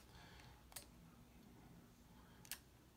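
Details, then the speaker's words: SGC SG-235 auto antenna tuner on 40 meters after chip and relay repairs: two crisp relay clicks about two seconds apart as it recalls a stored tune starting from high SWR; suspected software logic delay problem. "okay same same thing oh there we go it pulled the tune up but it's really high see here's the situate there okay so you hear it click so it started off with a high swr"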